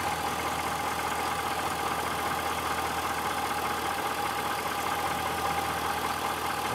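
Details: 2006 Chevrolet Silverado Z71 V8, reported for a clunk when stopping and a noise under hard acceleration: steady, even hum holding one pitch, no knocks or stumbles. Transmission fluid burnt-smelling, possibly slightly overfull, not foamy. Normal idle.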